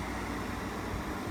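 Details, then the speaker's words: Frigidaire 8000 BTU R22 window air conditioner from about 2008–2009, compressor running on low fan: steady fan rush dominates over a faint low compressor rumble, slight vibration, no rattle, still about 67 dB (C-scale) at roughly three feet. "we're still at 67 decibels so i mean there's a little bit of vibration i can you know hear it just a low frequency kind of compressor rumble but it um the fan noise is still the dominant noise"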